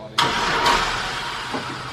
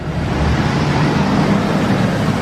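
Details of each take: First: Newly bought cheap used vehicle, fuel in tank, a little smoke at start: starter cranks sharply, engine catches roughly briefly then dies without idling; owner suspects it needs a battery. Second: Newly bought cheap vehicle with 320,000 miles, transmission with no gears: steady even idle with smooth low rumble and no expected lifter tick; engine sounds healthy.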